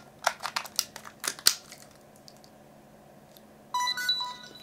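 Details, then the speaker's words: Fujifilm FinePix XP10 waterproof compact camera, untested auction unit, battery swapped in: clicks from loading the battery, then a short bright rising chime as it powers on to the menu screen; normal power-up, camera works. "it's a good noise to hear so the camera did power on see the menu screen there"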